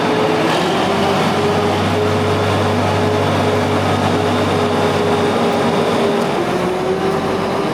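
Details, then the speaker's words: Big Bud 600 tractor diesel, high hours, owner thinks it makes about 550 hp, first startup of the year, not yet building air pressure: deep steady drone with even firing, no knocks or misses. Normal running. "I mean, that engine sounds good. It sounds really good for the amount of hours that are on it."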